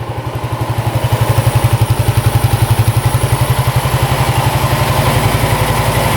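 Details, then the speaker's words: 1987 Yamaha SRX 250, warm, choke off: steady even exhaust pulses at 1200 rpm idle, no misses or knocking, slight petcock fuel leak; normal idle. "Sounds really good. No knocking at all. Carbs aren't leaking. Idling perfect. 1200 RPM. Man, does that sound good?"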